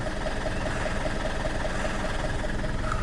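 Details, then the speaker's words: Alfa Romeo 159 1.9 JTDM diesel, first run after new turbo fitted: even idle with light, regular ticking about three times a second, no whistle or rattle; sounds healthy. "I'm quite happy with that nope that sounds pretty healthy generally sounds healthy"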